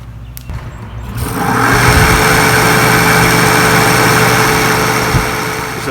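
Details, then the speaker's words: RV rooftop air conditioner with covers off, fan motor running: spins up to a loud, steady whirr with a rough, dry hum on top; dried-out motor bearings causing the noise, expected to eventually fail. "the bearings in this motor are uh are dried out and that's what's making all the noise So eventually it's going to fail"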